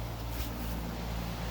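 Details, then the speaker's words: New Carrier system started from an Ecobee 3 lite thermostat in a Clayton home: steady, even low hum from the outdoor compressor and fan with light wind and no knocks or rattles. The unit runs normally and is very quiet. "After the unit is through calibrating, you should hear the fan start up in your furnace. These new carrier systems are extremely quiet. You can hear it now."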